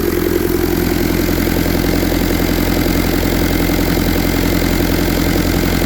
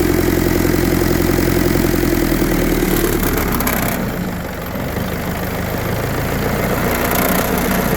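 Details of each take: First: 1952 Willys M38 with a Kubota V2203 diesel swap, about 4000 miles, idle set around 1100–1200 rpm (digital tach, peak 1299): even, steady diesel clatter with no stumbles or misses. Smooth, healthy high idle with no vibration. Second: 1952 Willys M38 with a Kubota V2203 diesel swap, idle lowered to about 730 rpm: steady low diesel idle with a faint rattle that comes and goes. The whole body and hood vibrate more; the idle is set too low.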